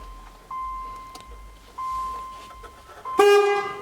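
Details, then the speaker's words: 1989 Dodge Daytona ES salvage car: horn relay pushed in by finger gives two sharp loud blasts, one long one short; horn and relay work, a broken wire behind the steering wheel stops normal operation. "oh that scared the hell out of me that's actually the horn relay i pushed in it with my finger so"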